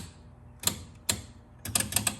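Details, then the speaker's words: 1976 Bally Flip Flop pinball: sharp irregular relay clicks, single and in quick clusters, at the slightest movement. Relay chatter from oversensitive switches, thought too far apart and needing adjustment. "Just the tiniest little bit of movement will make the relays click. You can see we're still having some issues."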